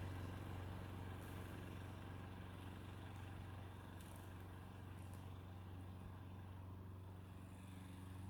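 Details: Mid-1990s (owner thinks) Toro GTS 2 550 mower, model 20436, 5hp Briggs & Stratton 124702, three-speed rear-wheel drive, after a carburetor repair (float bowl full of jelly). Low, steady hum holding even under cutting load, no surging or misses; healthy engine running normally.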